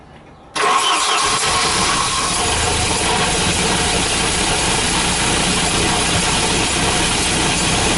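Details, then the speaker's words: Volvo B230 redblock (240/740/940) with hard starting: cranks and catches, then lumpy uneven idle that never smooths; doesn't misfire much under load, new leads fitted; cause found to be leaking fuel pressure regulator. "it absolutely stinks okay so there's a few things that it could be um it doesn't Mis fire under load so much so I'm tending towards it not be in the ignition system"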